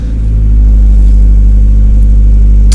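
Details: 2004 Mazdaspeed Miata, pro-tuned on Hydra, right after a cold start at about 45°F: steady, deep, even rumble with no knocks or misses. Normal cold idle.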